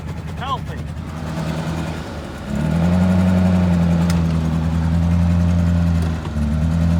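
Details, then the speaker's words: 1988 Suzuki Samurai, lifted, started on starting fluid with white smoke: engine catches and holds an uneven, lumpy idle that sags and surges, struggling to stay running; rough running, cause unclear. "me it ain't happy it is not happy"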